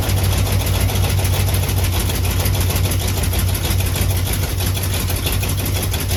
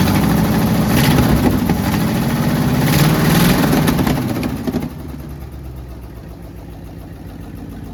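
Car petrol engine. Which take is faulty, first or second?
second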